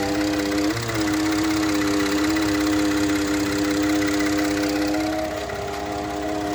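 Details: 2013 Ford F-150 EcoBoost idling in park: steady buzzing hum with fast pulsing rattle about four per second, then it stops; dealer could not duplicate it; also vibration between gear shifts; cause not pinned down.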